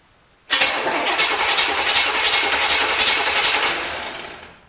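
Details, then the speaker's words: 1973 Corvette engine, starter jumped directly from battery before checking ignition: even, steady cranking about three and a half beats a second for four seconds, no grinding or slipping; starter turns engine normally. "Well, sounds pretty good."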